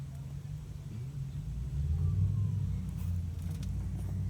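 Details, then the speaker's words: 2007 Honda Accord idling in drive, low and uneven with RPM dropping below 500 toward stalling, caused by a bad spliced wiring connection at the electronic throttle body. "I noticed that I was having a stalling symptoms again and the RPMs are dropping below 500 ohms so"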